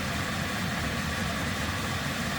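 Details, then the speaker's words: Vevor diesel heater in a van, newly fitted standpipe, fuel lines, pump and filter, lit and running at full output: steady soft fan rush and low hum, no surges or misses; fuel pump barely audible; normal running. "so once we get an actual face plate on this the only thing you'll hear is that fan running"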